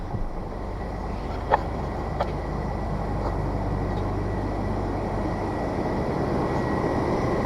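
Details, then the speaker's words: 2003 GMC Sonoma after a thermostat replacement, a few days on: a quiet, even low hum at idle with no knocks, misses or surges. The check engine light stays off and it warms up quicker; everything works as it should. "yeah there you go everything works as it should"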